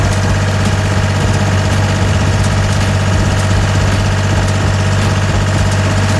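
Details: Gehl 4640 skid steer with a Deutz diesel, diagnosed for a fuel solenoid or pump fault after quitting and refusing to restart: steady, deep diesel idle with an even low thrum and no knocks or misses; running healthy.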